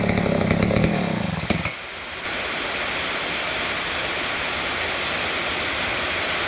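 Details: Neglected old McCulloch Super 250 chainsaw revived: revs high and cleanly, drops back to a steady, even run without stutter or bogging, running healthily.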